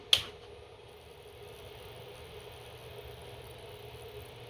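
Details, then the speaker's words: UltiMate 3000 autosampler's original 150 W 24 V power supply, unit cycling on and off; later swapped for a 320 W replacement. Switch click, then faint steady buzz with hum and thin whine: power supply buzz, suspected bad capacitors and/or transformer. "you can hear the noisy electronics and um potentially bad capacitors Andor a transformer in there so I'm almost 100% certain that that's what it is"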